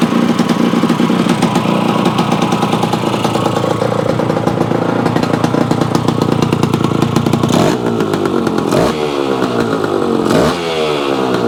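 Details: Yamaha AT-1 converted to CT-1, first start-up after rewiring, oil pump priming and carburetor fix, choke on, pre-mix fuel plus oil pump; crisp even two-stroke crackle, then clean throttle blips rising and falling smoothly, normal revving.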